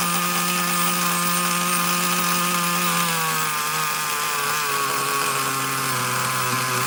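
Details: Traxxas Nitro Slash nitro engine on the bench: a steady high-pitched scream that sags only slightly instead of idling down. The misadjusted throttle linkage is pulling the carburetor a little open.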